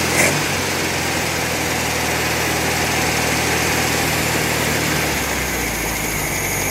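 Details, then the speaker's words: VW Beetle after a swap to an estate-sale engine, not yet warmed up, with one bad wire removed: steady, even idle with a light busy clatter and no stumble; the earlier stutter is gone, carb still to be adjusted. "Sounds good though. Yeah, that stutter went away."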